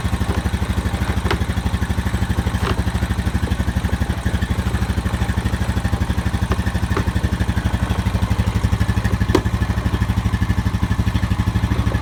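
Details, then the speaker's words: Honda Rancher 420 ATV after replacing the dead original battery with an AGM battery: even steady putter at idle with regular firing pulses, no knocks or misses; normal healthy idle. "I guess we should test it out first. So far, sounds good."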